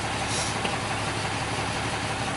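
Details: 2012 Ram 2500 Cummins diesel idling after fuel filter change (Fleetguard FS43255) and priming: steady, even clatter with no misses or surges; normal idle.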